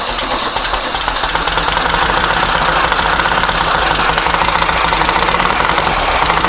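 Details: Long-stored dune buggy/sand rail on the truck battery, fuel solenoid and choke powered: loud, uneven clattering idle with irregular firing and no steady rhythm; idle screw and timing not yet adjusted.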